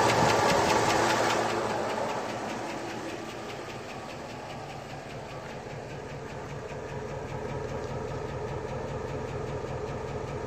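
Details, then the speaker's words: 2002 Chevy Avalanche 5.3L LS V8, fully warm after about half an hour, idling near 500 rpm, 30-weight oil, 50+ psi oil pressure, Comp Cams cam, retrofit hydraulic roller lifters and trunnion rockers; fast, even, loud valve train ticking about three or four per second. "As you can hear, the valve noise is about the loudest thing you hear right now."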